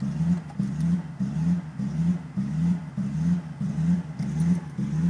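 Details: BMW 545i V8 rough idle: rhythmic, uneven lope, the low rumble surging and dipping nearly twice a second; cause unknown.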